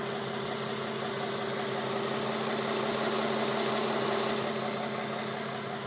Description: My 07 350z has an odd sounding tick coming from the engine bay help!